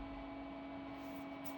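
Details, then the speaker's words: HP Pavilion desktop running Windows 2000, BIOS beep possibly missing: steady low whir, hum and airy hiss like a vacuum cleaner from the case; owner suspects it needs a new fan. "yeah and this desktop is pretty loud too if you can tell in the background I think it needs a new fan somewhere uh but it almost sounds like a like a vacuum cleaner down there"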